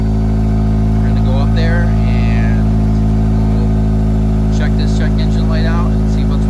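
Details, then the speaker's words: Cold start at idle on a 2005 Acura RSX with a check engine light from a knock sensor code: loud idle with a quick, uneven puffing tick under the engine drone from a small exhaust leak, gaskets to be replaced. "I just wanted to do a cold start on the RSX so you can hear out sounds it's got the little exhaust leak but we're gonna get that fixed hopefully soon"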